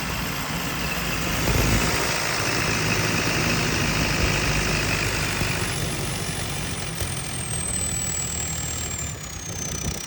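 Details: JCB 220 Ecomax diesel idling with an uneven, stumbling beat, a few pulses a second that don't land evenly, missing on a cylinder; engine misfire.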